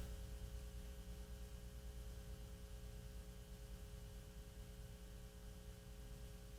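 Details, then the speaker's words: 1940s RCA CR-88 radio receiver, second RF box, testing a 4700 pF mica capacitor: only low steady hum and faint hiss, no static or crackle. Quiet receiver. "the open line here that one's actually sitting pretty quiet no static at all"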